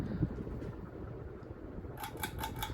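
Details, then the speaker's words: 52-inch CEC Newport ceiling fan running and moving air, bearings stiff when acquired and previously oiled: steady low hum with a rough rumble, then rapid rhythmic ticking; motor bearings worn out. "Bearings were a little stiff when I first got it, and before Troy sold it to me, he oiled it because he didn't know if the bearings were going to be shot or not, but apparently they are."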